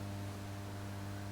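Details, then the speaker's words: Late-1965 Marshall JTM45 Super 100 amp, brought up slowly to about 200 volts then full voltage, bias fine: constant low buzz with steady hum tones from the speaker, rising with voltage; ground loop hum. "and there's a very noticeable hum on the speaker it's biasing up nicely though there's no problem there"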